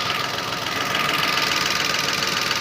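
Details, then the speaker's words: Datsun Go engine at idle, connectors unplugged one cylinder at a time: lumpy, stumbling idle with a steady hiss, and unplugging one cylinder shows that cylinder has the fault; misfire at idle. "इसको निकालूंगा तो फिर से दिक्कत आ जाएगी इसमें। ये देखो, ये लगा दिया, अभी देखो ओके हो गया। यानी इस सिलेंडर के अंदर कहीं ना कहीं दिक्कत है"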